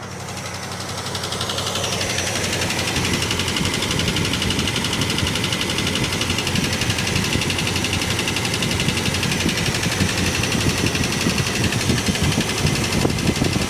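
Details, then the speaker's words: 1967 Plymouth Barracuda V8, long unused, missing badly with possibly old gas, little brake: idle with uneven fast ticking knock about four per second, "like a chaff cutter", seemingly from one side; cylinder not yet pinned down. "It's got a little bit of brake. Sounds like a chaff cutter."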